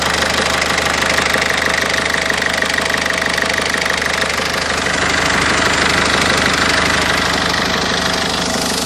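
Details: 1.6 HDi diesel engine at idle: sharp, even knocking about three per second over the diesel clatter; a knock from inside the engine.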